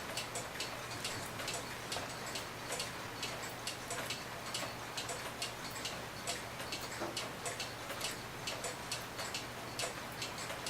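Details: Hebert Herr 8-day cuckoo clock after blowing out and oiling the movement and pallets: crisp, even tick-tock at a steady beat with no squeak or drag; normal tick.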